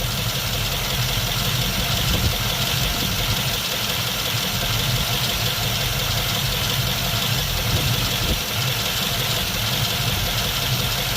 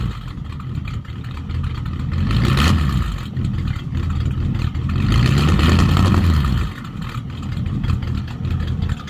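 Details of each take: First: 1951 Mercury after swapping to a Rochester 2-barrel carb, warm day; steady busy idle with faint uneven lope while idle mixture screws are being adjusted, not yet set for smoothest idle. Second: 1951 Mercury with Rochester 2-barrel carb swap, mufflers cut off for straight pipes; deep open exhaust bark through two clean rev blips then back to loping idle, sounds a lot better; owner notes carb may run slightly short of fuel, needs tuning.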